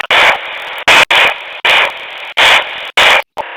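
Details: Luiton LT-316 walkie-talkie: loud hissing bursts about once a second, unevenly spaced, with quieter static between; source unknown.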